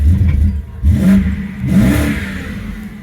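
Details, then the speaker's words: 2008 BMW 750i, previously crank-no-start, now running in gear with brake on: two quick throttle blips, revs bog slightly before climbing then fall back; tip-in hesitation, cause not determined. "All right. I don't know what that hesitation was, but there's a little bit of a hesitation."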